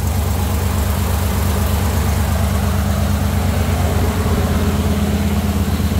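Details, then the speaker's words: Jeep CJ5 freshly built engine with Holley EFI, first start, warmed-up idle at 193°F: steady low idle near three pulses a second, smooth, no ticks or misses; fan one on, timing, voltage, temperature good, oil pressure about 45 psi. "my electric fans looks like fan one is on right now fan two hasn't kicked on yet but the timing looks good voltage is good temperature is good"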